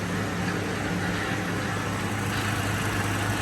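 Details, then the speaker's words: 2006 Ford F-350 V10, about 5,800 original miles, first start after rebuild, front jacked up while refilling lost power steering fluid: steady, even, quiet low idle, no knocks or misses; sounds good except the power steering; normal idle. "Sounds really good. Nice and quiet. Yeah, except for the power steering."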